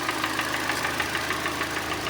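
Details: Hyundai Elantra restyle 1.8 G4NB, automatic, front-drive, 173,000 km, knocking began in winter: hard, hollow metallic knock about six a second over idle, piston slap from scuffed piston in its bore.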